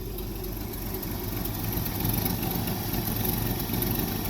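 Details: 1965 Ford F100 V8 after choke adjustment: steady, even idle with low rumble and no knocks or misses; healthy while still warming up, choke fully open.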